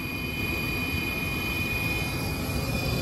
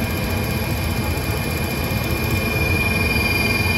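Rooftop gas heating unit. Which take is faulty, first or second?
second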